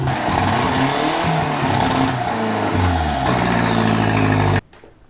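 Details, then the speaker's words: Mk2 Golf with 20-valve turbo engine, first start after quick build, battery in footwell: catches on first turn of the key, revs rise and fall smoothly and settle before shutting off; healthy, clean-running turbo four. "trusted first turn of the key yes good old 25 turbo i love this thing"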